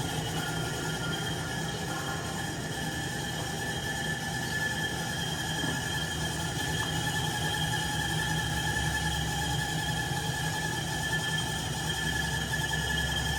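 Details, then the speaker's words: 1967 Logan model 1875 lathe on a Phase-a-matic static single-to-three-phase converter at 240 V, first successful start with belts engaged, reaching operating speed almost instantly: a steady even hum with a low drone and fixed tones, no knocking or grinding. Normal running. "You turn it on and it's pretty much up to operating speed."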